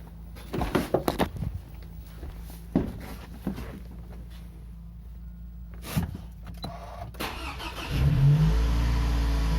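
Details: Toyota RAV4 2.0 1AZ-FE after rebuild for a suspected connecting-rod knock at 2,200 rpm (new timing chain and guides fitted): cranks, catches promptly and settles into a steady, even idle with no knock; runs normally.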